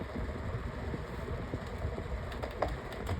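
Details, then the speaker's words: 10-blade, four-speed pedestal fan on speed one: hum with an uneven low rumble and a faint rattle as the motor housing shakes badly; the vibration has worsened over time. "And speed one. No, that that is awful sounding. I don't like that. And I think it's got also gotten worse ever since."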